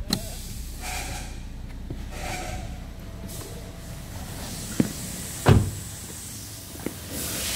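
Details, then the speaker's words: Toyota Sienta after water pump replacement, listening at the front of the engine: steady low idle hum with a few handling clicks and no rough grinding; harsh noise came from the water pump's rough rotation, now normal. "ya untuk suara mesin sudah hilang setelah dilakukan penggantian unit water pump dengarkan di bagian mesin depan"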